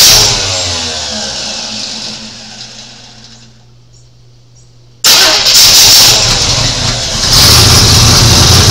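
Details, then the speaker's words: 1986 Chevy C10 short-bed after restoration reassembly: engine runs briefly then fades and dies within seconds; fuel reaches the line, so a stuck float or plugged filter is suspected. "Seemed to last longer. Doesn't make any sense because I didn't put any more gas in it, but try it one more time."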